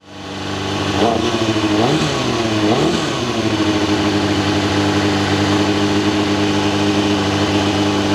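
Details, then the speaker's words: Kawasaki ZXR400 inline-four, first start after carbs and airbox were stripped and jets cleaned; carbs not yet balanced. It blips and settles to idle with a faint metallic clutch-side rattle rising with revs. Clutch still noisy; doesn't sound like it's running on all four. "well the clutch is still making noise and yeah it doesn't sound like it's found on four ready"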